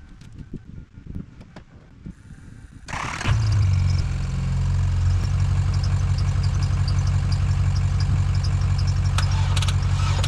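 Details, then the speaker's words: Dodge Caravan engine run on water instead of oil, cranking on jumper cables from a service truck with ether sprayed into the airbox. The starter grinds slowly at about three beats per second, and the owner says the engine feels tight and the ether makes cranking harder. "I think the engine's definitely a little bit tight it's turning over a lot slower"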